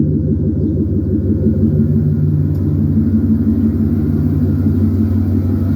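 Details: 2012 GMC Yukon Denali V8 idling after fitting Jet Hot coated shorty headers in place of the cast-iron manifolds: a steady, even, low burble with no exhaust ticking or puffing; sounds the same as before. Normal idle.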